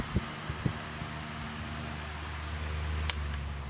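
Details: KDK stand fan after replacing bushing, gearbox gear and capacitor (previously noisy, slow, stalling): soft even low hum with a couple of light taps early on; motor runs smoothly, normal running.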